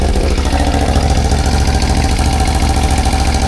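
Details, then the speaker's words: CFMOTO CForce 1000 (2V91Y) V-twin ATV after timing marks checked and valves adjusted within spec: heavy, fairly regular knock about three per second still thumps through the idle; deep internal knock, source unknown. "Всё равно стучит, блин. Всё равно идёт жгом."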